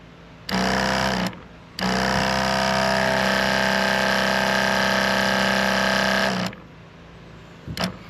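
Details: Sprayers Plus 105EX backpack sprayer after pump replacement and retightening of the hose fitting; steady, even pump buzz starting cleanly without sputter or surging before shutting off, no leaks, normal operation.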